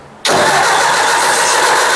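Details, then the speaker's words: Ford 800 tractor after points cleaning and adjustment, cold at about 5°C and previously run out of gas: steady, even churning from the key turn, never catching or speeding up. The engine cranks but won't fire; the owner suspects the carburetor or fuel. "oh am i not getting gas to it well i don't know let me try again it's mysterious i just quit i think the carburetor needs gone through"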